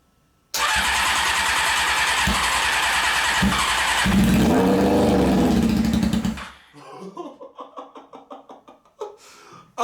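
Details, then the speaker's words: Honda CBR600, after fixing shorts in the coils and wiring: fires and revs for about six seconds, seemingly on all cylinders, then sputters weakly and dies. Won't keep running. "fires up okay so alright so we proved that it will fire up I'm just having a really hard time getting it to continue to run on the gasoline that's in the carburetors"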